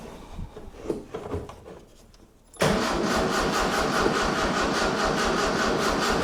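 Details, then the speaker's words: 1976 Galant with a 2.6L Astron, after the accelerator pedal was connected and fuel squirted in: slow, quiet cranking for about 2.5 seconds, then it fires and runs. This hard start confirms spark; the battery seems weak. "I was just about to give up and go and get a a test light, but it fired. So, we know it's got spark because it just sparked just once."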